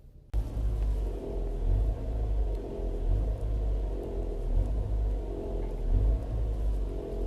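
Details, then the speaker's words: Ford Edge, 100,000 km, noise on lift-off around 1100 rpm, one ignition coil unplugged to make it shake: low droning hum pulsing about once a second from fuel lines rattling against the tank. "我拨的时候它正在动，看到没有？我给你们换个角度看一下，就这个卡子的位置，看到没有？它已经是完全脱落了，然后在抖动过程中呢，它就会哒哒响。"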